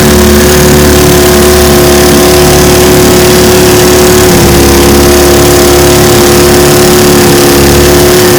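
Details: Restored 1950 Johnson TN-28 5 HP outboard on final bayou test run: loud, steady two-stroke buzz at constant revs under load, no misfires or surging; pulling strongly.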